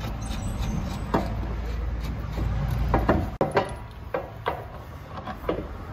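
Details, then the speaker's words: Opel Insignia 1.6 CDTI diesel (same engine as Astra J), newly bought by owner: sharp separate clunks over road rumble as the car drops into potholes, owner confirms noise occurs over bumps; worn front suspension parts knocking, suspension components replaced. "Ama bunlar Çukura düştüm zaman mı ses yapıyor Evet"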